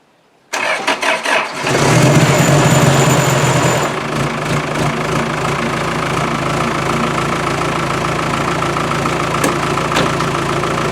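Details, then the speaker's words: Land Rover with Isuzu 4BD1T diesel, cold start at −4 °C using glow plugs and cold-start choke: brief cranking, catches within about a second, RPM rises then settles to steady even clatter; starts better than before, smokes when cold. "but it like I said it's it it started a lot better and you can hear the RPMs come up but it always smokes when it's cold"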